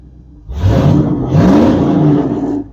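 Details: Engine running with the new alternator not yet fitted, volts reading about 14.6 and oil pressure around 33. Two quick throttle blips rising and falling cleanly without stumble; healthy V8, normal revving.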